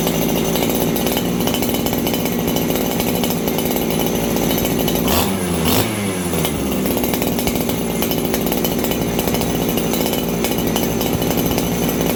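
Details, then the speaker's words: Farmertec 288 kit chainsaw: high jet set just under 1 1/4 turns, low jet at 1 turn, found rich on the low jet. At a high screaming rev there is a brief stumble and dip (bobble), indicating it runs slightly lean. It did not run like this before. "Okay, so you guys hear that little bobble? This thing is a little bit on the lean side."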